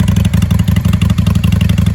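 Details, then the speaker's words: 1995 Honda Shadow 600 VLX (VT600CD) V-twin started cold without choke after carburetor tuning; deep, even lope with steady firing pulses, no misses, knocks, cracking or banging, a clean healthy idle. "Usually she's cracking and banging by now. There it is. She sounds really good."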